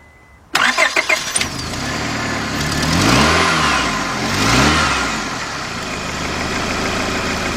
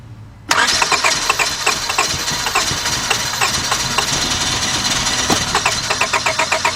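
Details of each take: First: 2002 Honda Accord 2.3, cranks-no-start, after spark plugs cleaned and bad plug wires found: a short crank, then it catches at once, revs a couple of times and settles to idle. It starts and runs but hesitates on throttle; fuel pressure still questioned. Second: 2002 Honda Accord 2.3, shut down while driving after losing power: starter spins with regular chatter for several seconds but engine never catches; cranks, no start, spark being checked.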